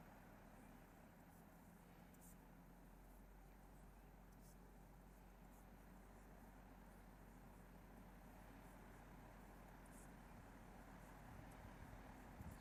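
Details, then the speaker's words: Newly installed 1-ton mini-split outdoor condenser running just after switching on in cool mode set to 70 degrees; low steady hum with soft even fan whoosh, no rattles or knocks, pretty quiet. Normal running. "Ooh, I hear the outside unit kick in. And the inside's on. And now let's go out and look at this guy. So it's pretty quiet."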